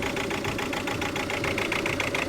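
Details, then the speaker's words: 2003 Ford Galaxy 1.9 TDi PD diesel that starts only after very long cranking, then cuts out. Uneven lumpy idle with wavering clatter; crankshaft sensor signal stayed steady so sensor thought unlikely. "see that honestly sounds like it's running a diesel so i don't think it is i don't think it is a crankshaft sensor because that stayed steady there all the way"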